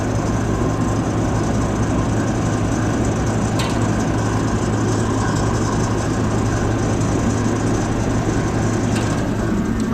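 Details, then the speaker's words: USI combo vending machine model 3155 compressor after replacing a leaking, failed start capacitor: steady low hum with an even mains-frequency drone, no straining or clicking; compressor starts and runs normally, vibrating to the touch. "it's still running I put my hand on it I can feel it"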